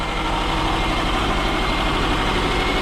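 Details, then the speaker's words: 2006 Subaru Forester (Copart, leaking radiator) overheated after 5-10 minute drive; steady low idle with uneven lumpy pulse, burning coolant smell; misfire at idle, owner suspects blown head gasket. "It's misfiring. So that's all the telltale signs of a blown head gasket on these Subarus."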